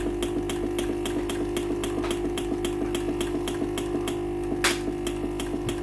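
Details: Philips PSG8160/30 steam iron that powers on normally but gives no steam, pump heard running constantly after steam button pressed: rapid regular clicking about three per second over steady hum, no steam hiss; failed water pump.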